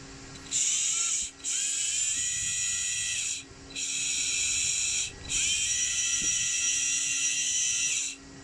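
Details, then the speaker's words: RC car motor after cleaning, bearing swapped from a spare motor and blue medium thread locker: clean high-pitched whir in repeated bursts, even tone, no grinding or rattle; noise present before is gone, normal motor spin. "شوف الحين الدوران أحسن، ما في صوت، قبل كان في صوت."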